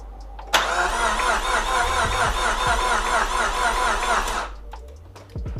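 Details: Nissan S13 200SX with freshly rebuilt CA18DET, first start attempt: starter churns steadily at about two beats a second for four seconds with no firing; crank-no-start.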